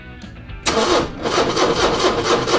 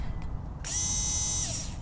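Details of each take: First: 40-year-old Porsche 944 engine: steady, strong cranking for about four seconds that never catches or fires; spark present on plug 1. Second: Porsche 944 (about 40 years old) that won't start: the removed fuel pump, tested in isolation, gives a clean, steady high whine under a second, then spins down smoothly. It works, so the suspected cause is no power reaching it in the car.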